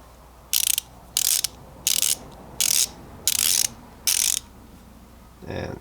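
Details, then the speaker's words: Tekton folding ratchet, swung back: six crisp bursts of fine, even, smooth clicks, the pawl mechanism sounding healthy; normal ratchet clicking. "this is 80 tooth right here look how smooth that is oh my god look at that if you guys can't hear that that's how some boot it is"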